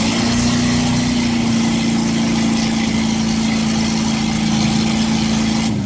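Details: Fully rebuilt 1960s Chevy 327 V8 with oil pressure of 60 psi at idle and about 80 psi revved. Even, smooth idle with a steady low drone and no knocks, ticks or misses; a healthy motor.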